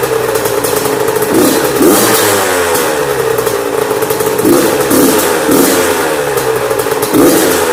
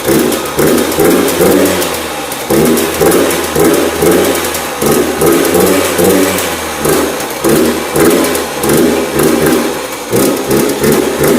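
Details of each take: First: Yamaha YZ85 two-stroke after top-end and water pump rebuild and clearing a mouse nest from the plugged exhaust header. Crisp no-load blips during break-in, alternating rpm to seat the rings, with clean pickup each time and no misfire: normal two-stroke revving. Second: Yamaha YZ85 two-stroke after top-end and water pump rebuild, choked cold start: blips but bogs, won't rev, muffled and wet as if water in the pipe; running rich, later found to be a plugged exhaust.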